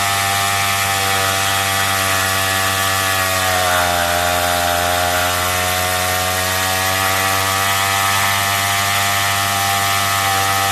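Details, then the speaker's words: Craftsman two-stroke weedeater with a trimmer attachment fitted for drag, idle screw set low; screaming pitch sags a couple of seconds before recovering and climbing, like stalling before it kicks in. Hesitation on acceleration, cause unconfirmed. "The only issue I have with it is when you give it gas, it kind of, you know, it kind of like acts like it's stalling before it kicks in."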